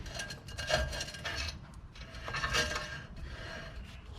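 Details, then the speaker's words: Jeep rear drum brake, after the adjuster was set and backed off; soft scraping rub comes and goes as the drum is turned by hand, no grinding or catching; light drag, normal. "there's a little bit of drag on the drum but it's not dragging the unit itself"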